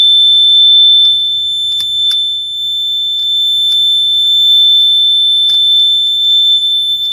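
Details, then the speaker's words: Smoke/CO detector with batteries being changed, tested before reinstalling: loud continuous high-pitched alarm with no break, probably caused by one battery installed backwards. "Okay, so I might have actually figured this out. I installed one of the batteries backwards, so let's try it again."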